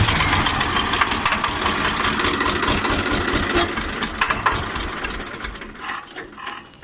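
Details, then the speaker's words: 855 FE diesel engine with black smoke and increased noise; sharp uneven clatter about twice a second over idle, dying as it shuts off; owner suspected loose tappet or broken bolt, found broken rocker arm bolt; valve train noise. "जो इसका इंजन में नॉइज़ ज़्यादा हो गया और black smoke भी आ रहा है। शायद टैपेट लूज हो गया या बोल्ट टूट गया, देखना पड़ेगा खोल के क्या हुआ।"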